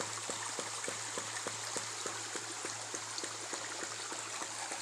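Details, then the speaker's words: Ram pump fed through a 10-foot standpipe 35 feet upstream, with 1-inch pipe stepped up to 2-inch: sharp regular clacks about 2.5 times per second over flowing water; the waste valve cycles faster than the ideal once per second. "So it's operating a little fast according to Seth Johnson. He said you want about that relief valve to open once per second. I'm about 2.5 times per second."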